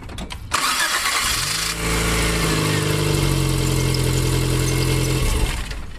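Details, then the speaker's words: Car after replacing a dead ignition coil in a simulated no-start, no-spark diagnosis: short crank, catches promptly and settles into a steady, even idle; normal start and idle. "so car runs so we fixed the problem the coil was dead"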